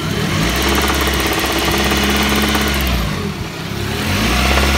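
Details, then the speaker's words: Engine runs with two unexplained knocks, one possibly piston slap; the second starts around 2000 rpm, grows louder with rpm, comes and goes, seems to come from the alternator side. Owner suspects valves; cause unknown. "Идет, короче, непонятный стук какой-то. Не знаю, что это."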